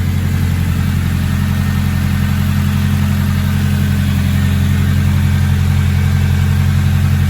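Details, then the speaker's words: Rebuilt engine at operating temperature, waiting for the fan before heat cycles: deep, steady, mean-sounding idle with even low pulse, no misses or ticking, no leaks, good oil pressure, no check engine light; normal. "Sounds so mean. There's no leaks, very good sign. Yeah, she sounds mean as hell, man."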